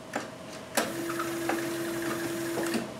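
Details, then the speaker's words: 5.0L 305 TPI Chevy IROC-Z with HEI magnetic-pickup distributor, engine off at six degrees, distributor turned while timing light on number one plug wire: sharp irregular clicks over faint hum; fuel injectors being triggered. "is even triggering the fuel injectors it sounds like so i'm walking back and forth across"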